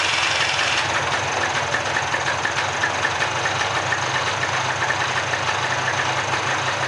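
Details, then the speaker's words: Mid-90s (1995) Polaris ATV two-stroke revived from a pile of parts, warming up about 3 minutes after first start: steady even idle, no knocks or misses, smoky from oil in the crankcase, normal idle. "It sounds good. So, let it sit here and warm up for a minute. It's really smoky because of all the oil that was in the crank case."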